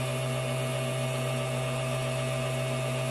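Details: Vehicle circuit during voltage drop testing after a temporary jumper-cable ground was added: steady even motor hum at one pitch, no stumbles or dropouts; good ground restored normal operation.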